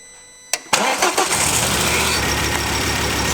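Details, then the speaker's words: Mk2 Ford Focus ST: engine catches into uneven, stumbling idle with lumpy beat; pulling coil five worsens it, and swapping coils four and five confirms the misfire is a faulty cylinder five coil pack; new coil packs and service planned. "we want to take five out it makes it a lot worse so the issue is definitely with coil pack five"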